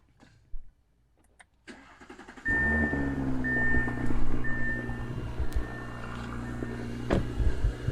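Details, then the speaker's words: Audi B9 SQ5 just after Integrated Engineering cold air intake install: quick crank and the engine fires, then a smooth, even idle with a throaty intake suck and audible blow-off, no misfire or knocking. "You can hear it sucking pretty good. Well, you can at least hear the blow off."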